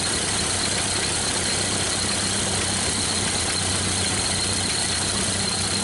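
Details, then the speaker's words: 1931 Ford Model A restarted after first start in years; steady low chugging idle, smoke hoped to clear from penetrant sprayed in cylinders; two cylinders low compression, rings suspected, head appears welded; rough idle with smoke. "and I'm hoping that smoke will go away we've sprayed a lot of in the cylinders"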